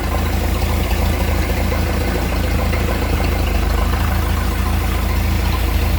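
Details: Speed boat inboard engine after repairs, started with water on; steady even low rumble at constant idle with no misses, knocks or surges; runs fine, though raw water hose is leaking.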